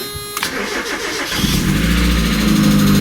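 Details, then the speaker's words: 1994 Mazda Miata, started in neutral after exhaust manifold flange gasket replacement: starter whirs, engine catches and settles with a light rapid ticking over the idle, expected to fade; cold-start lifter tick, no exhaust leak heard. "that lifter noise that'll go away in a second that is normal right"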